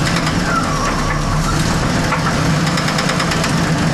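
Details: 1979 Pontiac Trans Am V8 at idle: rough running with a deep, heavy knock thumping through the low end, from a bad bearing.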